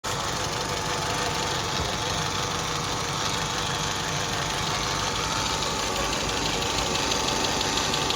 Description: The sound when the cam chain slide/guidance is broken at 300 000 km. The engine was replaced on this case.